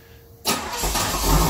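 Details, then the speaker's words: 1992 Chevrolet Camaro Z28 hard to start: short crank, catches abruptly, then uneven lumpy sputtering idle; when it catches it idles 3–4 minutes, roughening until it stalls. Fuel filter and ignition control module already replaced; MAP, O2 and coolant sensors new. "It's hard to start, it'll catch sometimes, sometimes it won't."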